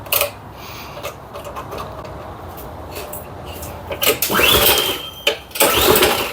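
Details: Troy-Bilt Storm 2410 snowblower engine, just after fitting a new replacement carburetor: catches and revs in uneven surges with a ragged beat, runs a little better than before but still rough.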